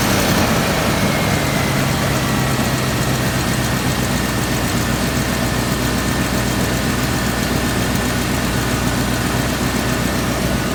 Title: Land Rover steering pump replaced makes weird noise